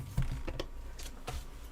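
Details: Apple HomePod with a DC offset fault ("death farts"), sent in for repair: irregular deep thumps and pops, several within two seconds against a quiet background; speaker popping from DC offset.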